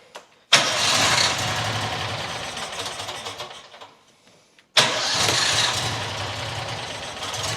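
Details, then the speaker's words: New John Deere XUV side-by-side that won't idle: catches, runs rough and sags, nearly dying, restarted; owner suspects dirt in the carburetor sucked in after a rodent nest got in. "I keep choking it. You know, there's probably crap in the carbureetator because uh fluffy got in there and it probably sucked in a bunch of dirt."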